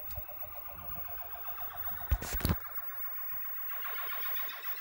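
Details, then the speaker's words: Williams Stargate pinball sound board on a bench test setup after swapping a faulty 6810 RAM chip for a known good one: test mode now plays real game sounds and a short tune, no static; working normally. "it's actually playing real Stargate noises and well little song a lot different than the tones"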